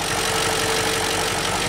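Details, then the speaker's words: BMW X5 engine, first start after rebuild, idling steadily without smoke: light fast ticking from sticky lifters not yet full of oil; lifter tick. "the lifters are still a little sticky so you can hear a bit of ticking but let's check under the hood"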